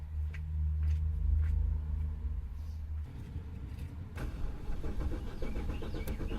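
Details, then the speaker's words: 2007 BMW 650i crank-no-start, with the battery previously disconnected and now reconnected: steady low starter cranking for three seconds, then cuts off with no catch; cranks but won't fire, and fuel is reportedly present. "I am going to crank it I want to see make sure no smoke comes"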